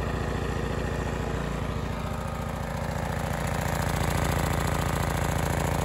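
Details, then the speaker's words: Honda EX1000 suitcase portable generator, cheaply bought and said not to work, running outdoors unloaded before an 800 W oil heater load test, choke off, correct air filter missing: small single drums at a steady even pace, no knocks or surging. "so you can hear it gently drumming away outside"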